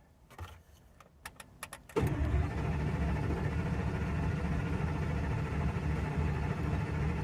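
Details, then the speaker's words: 2001 Ford F-250 V10 after head gasket job, gas pedal floored, no coolant yet: clicks then steady rapid cranking about three and a half turns per second that never catches; normal cranking to build oil pressure. "so let's crank it if we hear any weird noises uh we stop right away"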